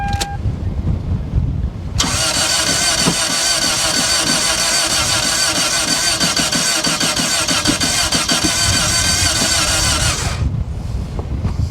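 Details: Salvage auction car listed as run-and-drive, jumped with a booster pack: about eight seconds of long cranking with an uneven churning rhythm that never catches. It cranks but won't start; uneven compression is suspected.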